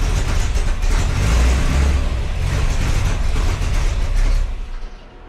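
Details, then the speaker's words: 1966 Chevy C10 with small-block 350 V8, just after a starter replacement: heavy, even cranking rumble catches into a steady low engine note, no screech or grinding; starter engages and spins cleanly, normal cranking and start. "Make sure everything's engaging properly, make sure there ain't no screeching or weird noises."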